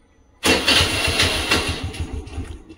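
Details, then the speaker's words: Honda Activa scooter with self-start tik-tik problem, starter relay removed and its carbon-blackened contact points bridged by hand: brief crank, then engine catches cleanly and runs; relay contacts sparking apart blamed. "देखिए गाड़ी start हो गई दोबारा दिखाता हूं मैं आपको"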